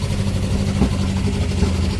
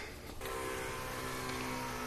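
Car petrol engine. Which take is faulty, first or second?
first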